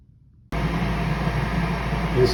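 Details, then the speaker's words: 21-year-old Bradford White 50-gallon natural gas water heater after replacing the buzzing power vent draft inducer with a modified Fasco A163: fan spins up to a steady, smooth low hum, no buzz or rattle; running normally. "Install. There's no more noise. Working beautifully."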